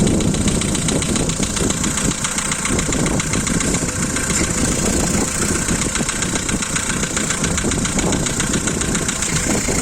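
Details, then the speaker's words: Volkswagen Polo 2012, 1.6 CFNA engine, cold start: fast, light top-end clatter over a rough cold idle, one lifter slapping loudly and a couple faintly; hydraulic lifter tick that stops once warm. "Один сильно шлепает конденсатор и парочку немного."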